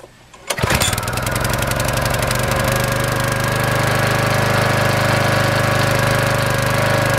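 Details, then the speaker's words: 5 hp Briggs & Stratton single-cylinder after coil replacement: fires on the pull and runs fast with a faint, occasional unevenness, a slight miss; carburetor cleaning suspected as needed, running much better than before. "it sounds like it's missing just a little bit there it might need to carburetor cleaned but it is gonna run"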